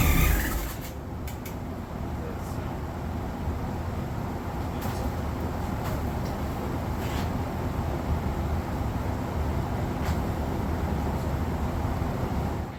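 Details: Freshly rebuilt VW air-cooled 40HP engine, first start attempt: steady, uneven low chugging of the starter for a dozen seconds, never catching; no-start, a bad fuel pump not sucking fuel suspected, not confirmed.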